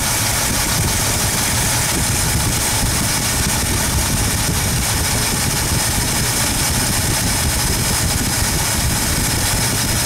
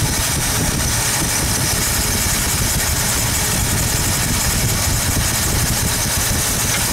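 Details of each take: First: 1972 Ford 302 small-block V8 idling during running hydraulic-lifter valve adjustment: even low rumble with no ticking from the top end after backing off and tightening the rocker; quiet valvetrain. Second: 1972 Ford 302 small block, valves adjusted while running: rough, uneven idle with an irregular skip as an over-tightened hydraulic lifter holds a valve open, killing that cylinder until the extra oil pumps out.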